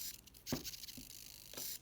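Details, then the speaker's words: Old servo in an HPI RS4 Nitro RC car: short, uneven raspy buzzing bursts, not smooth, still shaking when the throttle is released and worst in reverse, sounding like it is frying inside; the worn-out servo is being replaced. "And it's making loud noise. And when I let go, it's like shaking still sometimes. Yeah, it's like glitching. You can hear it in reverse really bad."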